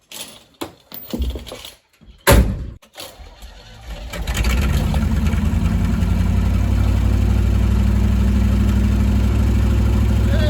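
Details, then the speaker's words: 1968 Chevy C10, started again, about 50 years old: a few clicks and handling noises, then it catches and settles into a steady, even low rumble at idle; runs smooth and healthy. "today perfectly fine sounds like a dream"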